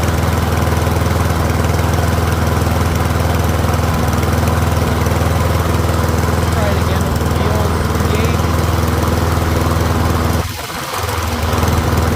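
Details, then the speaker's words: Troy-Bilt rear-wheel-drive mower with Briggs & Stratton engine, after ultrasonic carb cleaning: even, steady single-cylinder putter at constant speed, no misses or surging; pretty quiet, running healthy. "I'll let it run for a few minutes. It is a pretty quiet mower."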